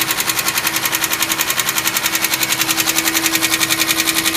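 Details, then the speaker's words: 2005 Chevy Equinox cold start: sharp, very even ticking knock at about 160 per minute over the idle, which stops once the engine warms up. Owner suspects it was low on oil; cause not confirmed. "when I turn it on it starts knocking and then after warms up it stops knocking"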